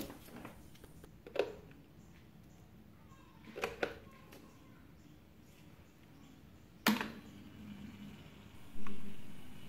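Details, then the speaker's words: New replacement drain motor for an 11-year-old LG top-load fuzzy logic washer, bench-powered after the old motor failed a resistance check: a low hum and clicks as the lever pulls in and locks, then the motor stops. A properly working drain motor. "you can see liver is moving in okay you heard the click and mortar stop if you try to manually pull the liver out it will not let you to do so it is locked"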